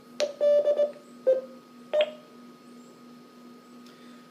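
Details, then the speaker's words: Motorola MTR 2000 UHF repeater at about 40 W into a dummy load, with a SCOM-7330 controller via a Northcomm cable; after dekeying, a few short clean beeps then a quiet carrier hum: normal radio and controller courtesy tones. "And those little beeps that you heard were a combination of the radio and the controller's courtesy tones."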